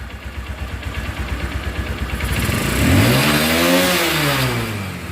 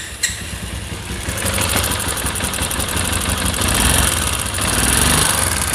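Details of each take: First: Runner Turbo 125 motorcycle after engine refit, tappet adjustment and carburettor cleaning: single cylinder pulses evenly at idle, rises smoothly to a clean rev and settles back; normal running, no knocks. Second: Runner Turbo 125 motorcycle that won't exceed about 30 top speed and runs very hot: rough, uneven clattering with a loose mechanical rattle as revs rise and fall; connecting rod and crank bearings found worn, gearbox bearings fine.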